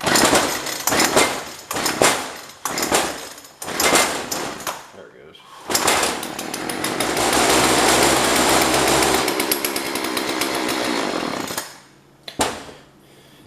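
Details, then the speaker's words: Jonsord 2036 Turbo chainsaw, owner suspects dried-out carb diaphragm; catches in a few sputtering bursts, holds a steady buzzing run about six seconds on fuel poured in, then dies, possibly fuel starvation. "see when the switch is still on it's just running off of what I put in it and then it dies"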